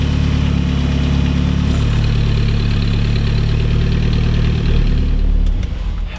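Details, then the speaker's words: Mid-engine Mitsubishi Eclipse after fitting an external wastegate and bigger downpipe to cure turbo boost creep: at operating temperature, deep steady idle with a brief rev, no knocks or rattles; wastegate opens around 10 psi. "seems to be good reached operating temp held temperature wastegate is open when we give it about 10 pounds of boost you can hear that"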